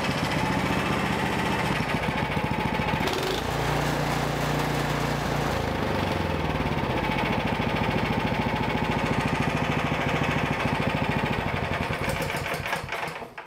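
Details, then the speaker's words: Small engine that had been surging, after the small carburetor jet was enlarged with a drill bit: it holds an even, fast beat without rising and falling. It now runs steady with no surging. "okay so i've got the shop paired out i'm going to start it up and you will see that there will be no surging and you will not see the light pulsate"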